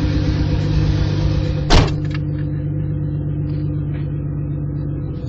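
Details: Mk3 Toyota Supra at almost 100k: low uneven idle with dull knock deep in the rumble and one sharper clack; rod knock from worn rod bearing.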